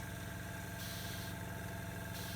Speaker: The air will flow inside the chamber, go to the lung will blow up to the right pressure, and then it will release and start the cycle again.